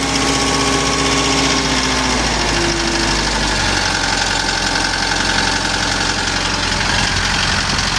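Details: Kubota M6060 tractor diesel that bogged when warm from a fuel problem, after priming the lift pump and water separator and bleeding air: cranks briefly, then a steady diesel clatter at an even idle.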